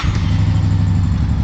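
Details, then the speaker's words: Honda PC800 V-twin after carburetor cleaning, air cleaner refitted and idle speed turned down: low, steady idle with an even pulse and no stumbling, best it has run; normal idle. "cranks right up, runs amazing. I had to bring the idle down a little bit."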